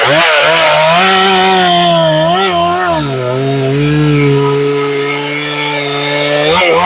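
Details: Chainsaw, a 268/272 type, cutting big white pine at full throttle: screams with wavering pitch that breaks into a light burble, four-stroking at the top, a safe, slightly rich high-speed tune.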